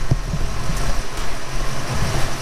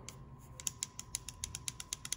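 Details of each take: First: 1991 Ford Fox body Mustang GT convertible idling in neutral after bellhousing clutch-side repair of a rattle that eased when the clutch pedal was pressed: low steady rumble, slight vibration, no rattle; normal idle. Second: Sharp metallic clicks, about six a second, from a loose, worn throwout bearing rattling in the hand, removed from a 1991 Ford Mustang GT convertible that rattled at idle in neutral; it had been banging on the input shaft retainer.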